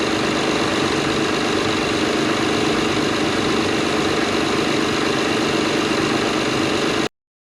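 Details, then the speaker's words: Acura TL after replacing an ignition coil and spark plug for a cylinder 6 misfire: the V6 now idles smoothly and evenly with no stumbles, better than before. "uh perfect you can hear now how it's not missing it actually sounds really great better than it did"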